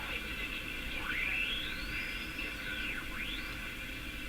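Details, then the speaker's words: Canadian Philco #57 tube radio: whistling heterodyne swoosh sweeping in pitch over hiss while tuning across stations; owner suspects the IF circuit, unconfirmed. "There you can hear the swooshing now. pretty clear the hetrodine tone."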